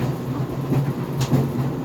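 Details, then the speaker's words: GE Profile Harmony dryer on the cooldown of an 11-minute sneakers cycle without extended tumble: a steady tumbling hum with a few irregular heavy bangs from the drum. The door pops open near the end of the cycle. Cause not identified. "so this GE Profile harmony dryer is making a banging noise it is on the cooldown cycle right now because I set the drive time to 11 minutes without extended tumble"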